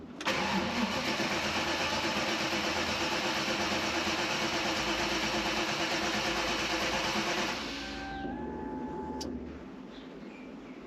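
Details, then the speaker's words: V8-swapped Mazda MX-5 (Bullet Roadster), first run in over a year, just after grounding the ECU so the fuel pump primes. Crank catches instantly, V8 settles into a steady, even idle then a calm low hum; running healthy. "All right. Yes, it's started. All right. All right. Okay. It's been a while. I'll let it I'll let it do its thing."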